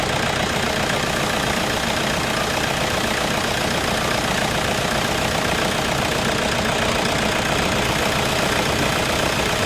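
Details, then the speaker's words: Toyota Innova at idle after replacing the alternator pulley that caused a tick-tick noise; steady even idle, smooth hum, no tick from the front accessory drive; normal idle, repaired. "Okay അങ്ങനെ നമ്മുടെ വണ്ടിയുടെ പണി കഴിഞ്ഞിരിക്കുന്നു ഇപ്പൊ സൗണ്ടും കാര്യങ്ങളും ഒക്കെ പോയിരിക്കുന്നു"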